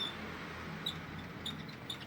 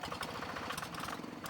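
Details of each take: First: G3000 Zeva diesel farm tractor after replacing the pulley bearing and the wheel axle seals: a steady, even idle with light regular ticking and no knocks or grinding; the engine sounds smooth and healthy. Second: Single-cylinder diesel on G3000 Zeva hand tractor idling with a rough hiss and rattle from the fan support bearing or tension pulley.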